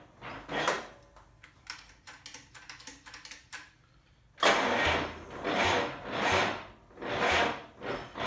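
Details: 1947 GMC truck engine: very slow, laboured cranking at about one turn per second that never fires; a dead battery or a starter spinning too slowly is suspected.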